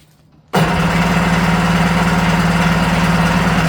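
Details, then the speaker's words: Restored vintage Kawasaki 550SX (reed motor, stage 2 port, dual 38 Mikunis) first start attempt: strong, even cranking pulses for about three seconds, never catches; fuel starvation in one pickup line, carb suspected. "Okay, I'm seeing fuel in one. Not seeing fuel in one of the pickup lines. So, the carb might be bad."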